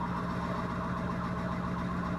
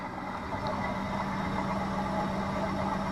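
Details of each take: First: Sailboat electric motor running on test, stuffing box not overheating: steady droning hum with thin whining screech, propeller cavitation, squawking as bubbles burst. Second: Sailboat electric drive motor under load at about 1750 watts, roughly 4.5 knots; motor controller hot, bearing cool: smooth, even hum with a steady low tone, no knocks or grinding. Normal electric motor running under load.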